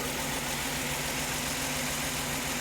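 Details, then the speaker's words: Mercedes-Benz C240 C-Class after replacing the fuel injectors (fuel filter and pump replaced earlier), a few seconds after restart once the emptied fuel rail has refilled: even, steady idle hum with no misses or stumbles; normal idle, smoothing out. "yeah there's a smoothing out now yo yup"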